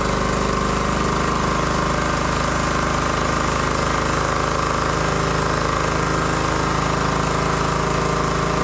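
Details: John Deere GT225 lawn tractor engine first run after fuel system repair for a not-running issue: steady, even beat with constant note, no misses, knocks or surging; running normally.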